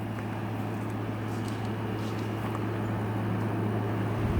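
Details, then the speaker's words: Salvaged window air conditioner, fins power-washed, running with hot air exhausting out the back: steady low hum with even airy fan rush, no knocks, rattles or surging; blowing cold, normal running. "wool feel the hot air coming out the back now this could be a good little unit"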